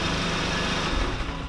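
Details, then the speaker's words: 2017 VW Mk7 GTI with an APR Stage 2 tune, after tightening a loose bracket under the resonator that caused an exhaust rattle on startup and revving: smooth, even rev with no rattle or buzz; fixed. "guys there you have it it was a loose bracket that i've been putting off fixing for a very long time"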